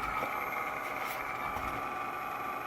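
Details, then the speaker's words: Sim2 Domino D80 projector after bulb replacement, running with top off: steady raspy whirring hiss from the lower lamp cooling fan, likely heat-cooked, may quiet after running; noisy cooling fan. "see it down the bottom it's that lower lamp fan not entirely uncommon either thing does get cooked probably quiets down after it runs for a bit"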